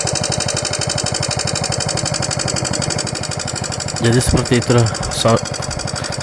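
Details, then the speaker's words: Yamaha Jupiter MX that still ticks after replacing rocker arms: fast, steady, loud metallic tek-tek ticking at idle, from a loose rocker shaft worn in its head bore. "Jadi kawan-kawan kita ini kedatangan motor Yamaha Jupiter MX yang mengalami sudah bongkar ganti platuk lab tetapi masih saja suaranya kembali terdengar berisik"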